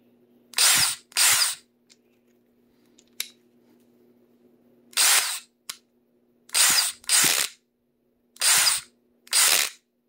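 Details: DeWalt cordless drill, under a year old and lightly used, run in short trigger pulls: harsh hissing rasp instead of smooth motor whine; cause unknown.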